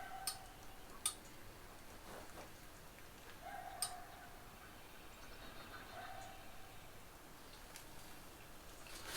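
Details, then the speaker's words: 1969 Mustang after fitting electric radiator fan with relay kit and adjustable thermostat switch set just below 200°F: sharp single clicks a second or so apart as the fan relay switches in and out while engine cools; fan and relay work, control-wire fault suspected. "As it cools down, you hear that click again because I just turned it back up. I turned it down. And it clicked again, so it would click to kick it out."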